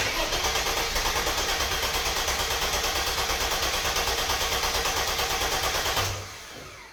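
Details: Mercedes W124 E320 convertible, M104 six-cylinder non-runner, after harness work: steady starter cranking about three turns a second for six seconds, never catches; no fuel delivery, fuel pump not running, relay also suspected.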